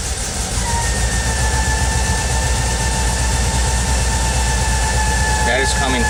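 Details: VW Vanagon 2.1: clear steady high-pitched hum from behind the instrument cluster when the throttle is advanced, holding its pitch; source unidentified.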